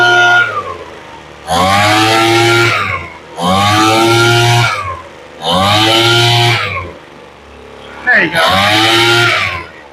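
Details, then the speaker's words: Craftsman two-stroke leaf blower after carburetor rebuild, warmed up, high-speed mixture screw turned up slightly to cure a stutter; four clean rev-ups to steady high buzz and back to idle, running smoothly. "That sounds a whole lot better."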